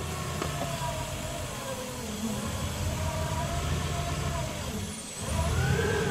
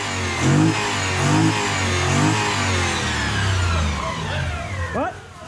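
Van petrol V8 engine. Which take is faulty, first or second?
first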